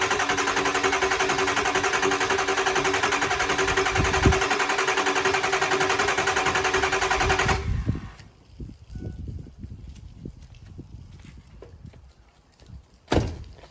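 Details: Kill Devil 600HP 6.0 Powerstroke in a Ford Excursion: it cranks evenly at about three to four beats a second for eight seconds, never catches, then stops. It cranks with no start and 0 injector pressure; low oil is suspected, not confirmed.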